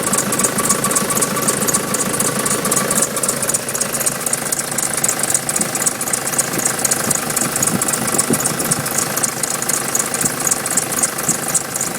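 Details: Nissan Patrol 3-litre turbo diesel at idle, also won't start unless jump-started: thin high fast-repeating squeak over a steady idle; source not pinned down.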